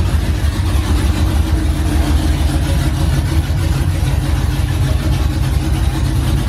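Deep, loud, steady V8 rumble at idle with an even beat and no stumble, running smoothly on open headers.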